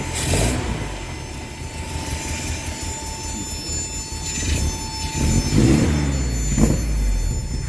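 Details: 1970 Datsun Roadster SPL311 under restoration, revived after sitting 30 years: small petrol engine rumbles evenly and revs cleanly, with a steady high beeping behind it, thought to be a door warning.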